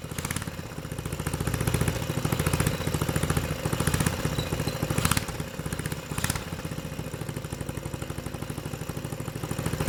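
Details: 6.5hp generator engine converted for a go-kart with the Honda GX120 carb and exhaust and a clutch fitted: a single-cylinder thump at a steady, even idle of about three and a half beats per second, with no knocks or misfires. Normal idle.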